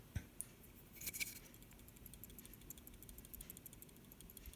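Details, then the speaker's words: Refrigerator compressor not running while the light works: removed start relay shaken by hand gives a faint, loose tiny rattle inside, indicating a failed relay needing replacement. "hear that there is a tiny rattling noise if you hear that noise then your relay has a problem"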